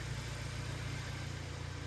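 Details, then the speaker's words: 2018 Honda Accord 1.5 at idle after replacing cylinder 4's bad fuel injector, which had caused an idle misfire: smooth, even exhaust note with a steady low pulse and no skips or pops; all cylinders firing cleanly. "Watching it run here, we have no misfires on any of the cylinders. Sounds good out the exhaust. Nice and even tone. Whereas before it was skipping and popping and doing all kinds of stuff."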